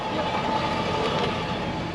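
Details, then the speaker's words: 2003 Toyota Sequoia driven slowly by a second person while listening at the wheels: steady dry scraping hiss with a faint squealing edge, traced to a rear brake rotor rubbing; brake rotor scraping. "keep going this one seems fine okay yeah it's a back rotor okay now we've identified it with two people"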